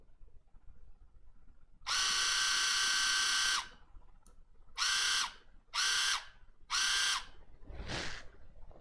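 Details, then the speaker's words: Water flosser motor bench-powered at 3.7 V spins up to a steady high buzz, clean and even; the motor itself works, though the device still won't turn on via its power button. "let's turn on this motor and see it does work so the motor is working as you can here"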